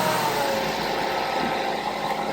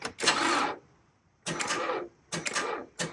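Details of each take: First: 2011 Mazda 3, suspected weak battery, started using a jump starter pack: engine catches quickly and settles into a steady, even running note with no stumble; clean, normal start. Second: Car battery reading 11.06 V with 0% health and charge, during a tester cranking test: four or five short, labored cranking bursts that stall without catching; dead battery, exhausted by one earlier start 10 minutes before.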